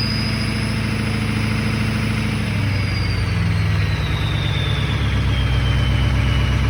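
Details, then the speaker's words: Ford 6.0L Powerstroke diesel after replacing a failed VGT turbo pigtail. Steady diesel rumble under a clear high whistle falling in pitch as the revs ease; turbo whistle back and sounds healthy. "Alright guys, so she sounds good now. I got the whistle back."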